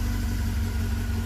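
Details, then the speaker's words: 1980 Fiat X1/9, idle being checked and set down a little, timing belt still on and not jumped: steady, even low idle with smooth beat, no knocks, misses or whine; normal idle. "car still running good I'm going to check the idle here set it down a little bit"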